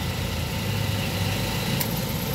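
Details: Mazda 3 idling with the AC on after a rough idle: a steady, even low hum with no stumbling or surging. Magnetic clutch voltage reads 12.9 V, normal under load.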